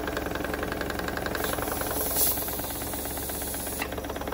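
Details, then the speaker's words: Wilesco D16 steam engine run on compressed air after lubricating: quick, even chuffing around three to four per second with steady air hiss; running smoothly and well, normal running. "this sounds working well [Applause] everything's good"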